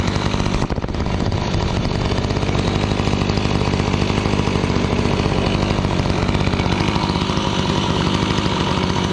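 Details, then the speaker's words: Gas-powered Razor dune buggy small single after coil gap reset and repair, idle around the usual rev: fast, buzzy, steady, no knocks or misses, lots of cooling air moving; owner thinks it may be running rich; normal idle. "That's quite a bit of air moving around this thing just at idle. The rev's about the same."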